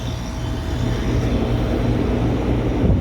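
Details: Goodman A/C condenser fan after a new OEM motor and new capacitor, wired to the OEM schematic and replacing an aftermarket motor: an even low hum and steady airflow rush with no ticking, grinding or wobble; normal.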